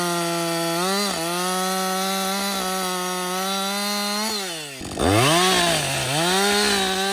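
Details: Husqvarna 562XP chainsaw, software reflashed by the shop after dying when hot and stumbling; about an hour into running. A strong, clean high pitch sags smoothly into each cut and recovers crisply between cuts. It runs normally under load.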